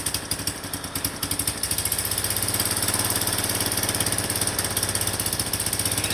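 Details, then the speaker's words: Suzuki Spin 125 at idle, secondary air (PAIR/AIS) valve opened up: rhythmic soft puffs drawn in at the open valve port sound like an exhaust leak but are normal; idle vacuum too weak to close the membrane, closes when throttle is snapped. "Teman-teman bisa mendengarkan ada suara seperti gas buang yang bocor dari lubang sini ya."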